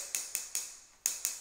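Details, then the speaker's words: Tap test on floor tile laid the day before: six sharp, high, dead taps with no hollow ring, sounding like hitting the concrete itself, meaning the tile is solidly bonded. "I mean, that's what it should sound like. It should sound like you're hitting the concrete."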